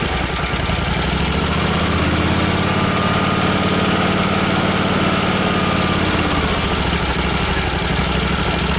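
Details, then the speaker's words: Miller Trailblazer welder's small engine idles rough and uneven, running lean; fine when choked, too much air for the fuel. Owner suspects a vacuum leak between carburetor and engine, or fuel delivery issue; a fuel pump suction-side clamp had been off. "I think it has a vacuum leak between the carburetor and the and the engine because it's just getting too much air you can see it's fine if I choke it down but then it there's just too much air there for the fuel"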